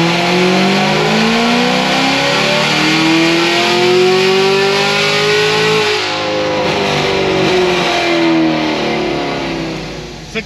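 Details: 2016 Cadillac CTS-V with headers on dyno, new high-side fuel pump fitted after low pressure: strong, clean rise in engine pitch under full load, holding steady without stumbling or cutting out; fuel delivery keeping up.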